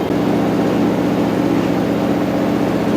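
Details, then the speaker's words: Washer (replacement for a failed Whirlpool) at full high-speed final spin with about 1 minute left: a smooth constant hum with no thumping or wobble. Not vibrating much compared with previous washers; healthy. "Now it's starting to pick up speed on the spin. And now it's really cranking. You get some idea how fast it's turning."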